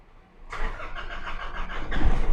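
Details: Nissan NP300 diesel with hard starting and no tachometer reading, fault code P0335: starter churns about two seconds with uneven beat before catching; faulty crankshaft position sensor, fixed by replacing it.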